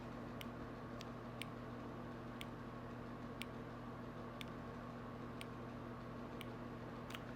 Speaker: They're definitely communicating. It is saying priming, please wait. So it's just basically communicating with each other.